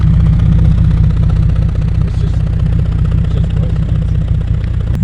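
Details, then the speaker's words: Loud, already de-catted Holden Commodore SV6: deep exhaust throb with coarse raspy edge and loose rattle from one rear muffler, before mufflers removed; raspy, rattly exhaust. "So this one we're trying to solve the issues of, well, yeah, the absolutely fucking rattly exhaust."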